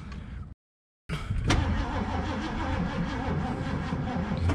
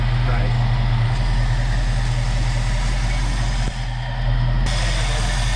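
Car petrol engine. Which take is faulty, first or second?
first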